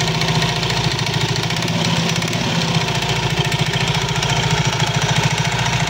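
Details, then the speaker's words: Soul GT 115 scooter at steady idle: a loose uneven clatter of about three knocks a second from the CVT drive side. Usually caused by looseness or wear in certain CVT parts; cause suspected, to be checked. "suara kelotok-klotok pada bagian CVT sol GT 115 ini biasanya disebabkan dari kelonggaran-kelonggaran sparep ya kelonggarankaausan pada P tertentu"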